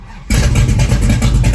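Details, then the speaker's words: 1963 Dodge 330 with factory 426 Max Wedge V8, odometer 8,860 miles, timing advance just backed off slightly: deep, steady burble settles after catching, runs evenly and cleanly; loud, not subtle. "all right we're definitely close it's a damn good thing we're at an airport and not in like a neighborhood cuz that is not subtle"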